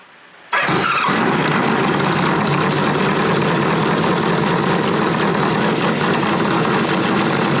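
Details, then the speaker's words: Classic Honda motorcycle started after installing a new plug and prototype oil pressure gauge fitting: short crank, then an even, steady idle with no misses or knocks; oil pressure reads 58–60 psi, no drips. "Got it all put back together with our new plug. We're gonna fire it up. Give us another test."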